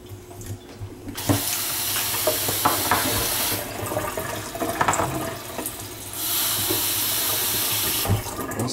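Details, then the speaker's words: Kitchen faucet after the hot side's whistle, likely from sediment; plain rushing water with no whistle, hot tap runs quietly and normally. "no more weeks no more noise so I must have just been a little bit of sediment making a whistle in action alright weird"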